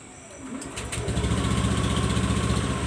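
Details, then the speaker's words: Automatic scooter after full CVT service, previously revving and racing by itself on start: engine catches within a second and settles into a steady, even low putter with no surging; normal idle. "Oke, normal, Guys."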